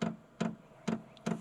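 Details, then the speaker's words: Vevor 8 kW 12V diesel air heater, new, manual independent fuel pumping with about a liter of diesel: crisp even ticks a little over twice a second; normal fuel pump clicking while priming. "so that clicking that's a fuel pump track trying to draw diesel in there"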